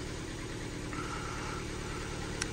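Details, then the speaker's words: Ford Fiesta salvage car with suspected flood damage, idling: quiet, even idle with soft steady hum, no misses, despite stored misfire codes on cylinders 1 and 2; owner unsure if plugs or leads. Normal idle. "so yeah but it's actually ticking over and running quite nice so I don't know if it's something to do with the plugs or the leads"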